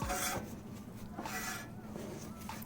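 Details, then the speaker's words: Honda Civic (H2B) car pulling left with a rubbing noise: a soft scraping rasp returns about once a turn as the wheel is spun by hand. The brake dust shield is rubbing against the rotor. "well that's why I was taking that noise on this side bottom"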